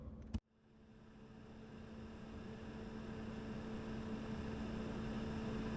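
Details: Diesel heater after teardown for smoking, cleaned, new fuel pump and filter, pump foam-mounted at 45°: soft steady hum with faint constant tone and gentle rushing air, no ticking; running quietly and normally.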